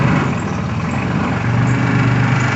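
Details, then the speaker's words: Suzuki 250 outboard on a rebuilt center console boat, run for the first time after everything inside was redone. Steady, even low engine drone with no knocks, misses or surging; the outboard runs smoothly and sounds healthy. "well we decided to go ahead and run it everything's been redone on the inside just see what it does because we don't have a clue"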